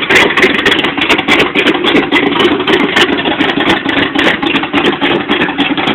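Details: '86 Chevy short bed with Comp Cams Extreme Energy camshaft, flat top pistons and cast iron 2.02/1.60 heads: loud, choppy idle with uneven pulsing lope a few times a second that never smooths out; rough idle.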